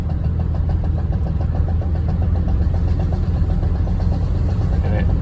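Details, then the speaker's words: VW Vanagon under throttle on uphills: steady engine drone with a quick, fairly even run of sharp pops about six a second, stops when gas released and rpm drops, returns with gas, maybe drowned out at highway speed; cause unclear. "happens on uphills. If I release the gas and the RPMs drop, it'll go away, and it'll start again if I give it gas."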